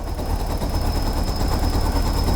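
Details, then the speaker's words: Mazda MX-5 NB MK2 turbo engine build, just after first start, turbo with scavenge oil pump: steady even idle with a faint high turbo whistle, running cleanly with no knocks or misses. "running. So that's a good start. You can hear the turbo whistling actually."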